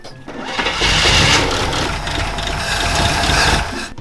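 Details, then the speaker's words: GMC Yukon engine after a reported rod knock turned out to be loose flywheel bolts: cranks, catches and runs steadily with no deep knock, just light valve train ticking; bottom end sounds healthy. "a little valve train noise but i think you may need to take the little thing off a lot of the air cleaner"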